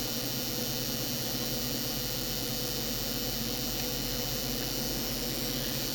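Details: FSP 300W PSU from 2007, possibly from an Acer system, switched on via its power-on lead: constant high-pitched cicada-like hiss with a faint steady whine. The 12 V rail is noisy; owner suspects bad capacitors, cause unknown.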